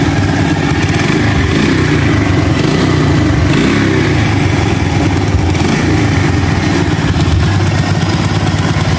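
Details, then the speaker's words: Rusi 110 motorcycle, battery-operated ignition, wiring partly broken, after replacing faulty regulator (battery two days old had gone weak): steady, even low single-cylinder putter without stumbles; engine idling normally, now runs even without battery. "yun mga bay, andar ng motor na to. Pinalitan natin ng regulator."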